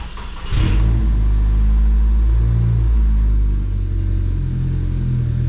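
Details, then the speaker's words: VW Mk6 GTI engine first start after replacing seized exhaust-side balance shaft, both balance shafts, chain and tensioner: brief rev flare then steady, even low idle, no knocking, rattling or chain noise; normal idle while warming up. "It's alive. Awesome. Sounds good. So we'll let it warm up for a bit."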